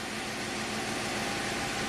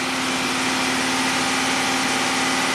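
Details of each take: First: 2006 Pontiac GTO V8, six-speed manual, 36,000 miles, just started after new AC Delco spark plug in cylinder three, warming up: smooth, even idle with a steady hiss, no misfire or stumble; fuel trims good. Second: 2006 Pontiac GTO V8, 36,000 miles, after BCM replacement: idle with slightly uneven beat and occasional hiccup from an intermittent cylinder three misfire; fuel trims single digits, MAF 8 g/s.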